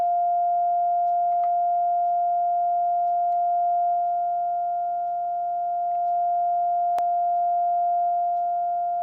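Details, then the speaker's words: Crosley 635 Buccaneer tube radio during IF alignment, 450 kHz signal generator input, second IF tweaked: pure steady mid-pitched tone through the speaker, peaked at loudest; IF stage passing signal cleanly. "I know it's annoying, but I'm going to tweak the second IF first."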